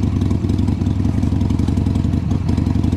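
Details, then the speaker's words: 2002 Harley-Davidson Sportster after carburettor cleaning, choke reconnected. Lumpy but even V-twin beat at a fast idle with no misses or stumbles; sounds better and starts easier than before, with some fuel smoke burning off. "but that sounds a lot better and starting a lot easier"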